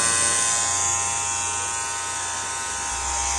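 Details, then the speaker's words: Hair clipper making a loud steady high buzz with a rattly edge, annoying near the client's ear, caused by small play in the inner blade's fitting; loose inner blade buzz. "porque o barulho se dá na lâmina interna. É uma pequena folga entre o encaixe da lâmina."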